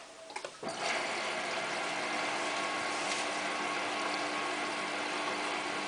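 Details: Hotpoint Ultima WT960 washing machine on cottons 60 test wash with about 7 kg mixed load including jeans; valve clicks open, then a steady even rushing hiss of water flowing in, normal fill.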